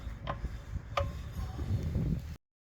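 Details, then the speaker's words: Mazda 3 BK: constant knocking from one wheel at any speed (20–120), sharp metallic ticks with brief ring over road rumble; cause was a loose brake pad retaining spring, found after two months, cheap fix. "В этом колесе что-то стукало при езде в в любом режиме, то есть при любой скорости, там 2040, 60, 120, без разницы. Ты едешь, оно стучит постоянно."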